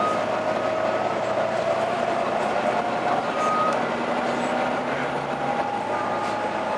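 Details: Arriva Yorkshire Volvo B9TL East Lancs Olympus bus (YJ57 BEO) on service 202 while driving: a thin howling tone wavers and slowly climbs over the road rumble, coming and going with speed; the source is unclear.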